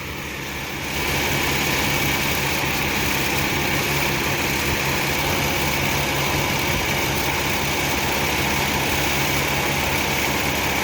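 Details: Rebuilt 1966 Ford Mustang 289 V8, running outside at about 25 degrees with good oil pressure. A strong, even V8 beat settles in with no knocks or ticks: a healthy fresh engine.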